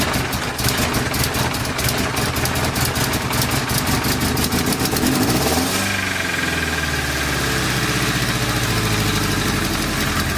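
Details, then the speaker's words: Nissan 240SX engine just installed, cold-air intake fitted, first start: rough start then revs climb by themselves to about 2,000 rpm and hang; owner suspects a loose intake coupler or vacuum line leak. "as you guys just saw it started and I let off the gas and it revved all the way up to 2,000 rpms by itself"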